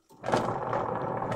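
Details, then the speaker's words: Two-tub washing machine with weak spin: the motor keeps turning but the pulsator stops when held, so motor and capacitor are ruled out. Harsh, rough grinding starts as the drive engages and keeps churning; the gearbox teeth are stripped. "dan jika dipegang itu di namanya masih kuat pulsatornya berhenti itu bukanlah dinamo atau kapasitornya yang rusak maka ini bisa dipastikan gearboxnya yang hancur"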